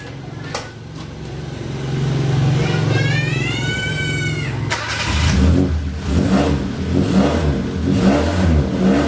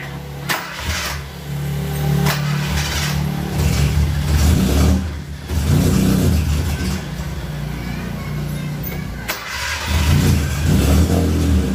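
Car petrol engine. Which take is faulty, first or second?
second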